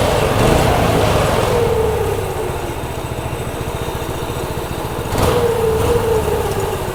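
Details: Brand-new Harbor Freight Predator 212 single-cylinder engine on a homemade 'Franken Stool' build, cold-blooded and slow to start: runs smoothly, rising with each throttle blip and dropping back to an even, steady rhythm. It is healthy.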